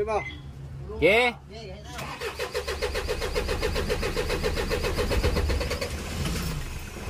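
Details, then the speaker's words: Isuzu 4HL1 common-rail diesel with low power, hard starting and a rail pressure sensor no-pressure code: a short crank, then a long steady starter chug before it catches. Hard starting with long cranking. "sobrang haba ng cranking bago pa umandar"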